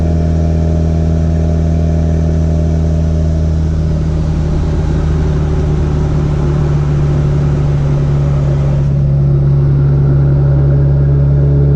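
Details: B3000 pickup with Cummins turbo swap, driving after the build, under load: deep, steady diesel drone, even exhaust note, no knocks or misses; feels more powerful and smoother than ever, running good and loud.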